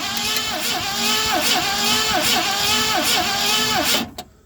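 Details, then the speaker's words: 1970 Mustang Mach 1 first start attempt, coil hot-wired from the battery, weak and intermittent spark: starter cranks evenly about three turns a second but engine never fires; cranking no start. "Well, we had spark at first, and then we're losing it. I don't know what's going on there."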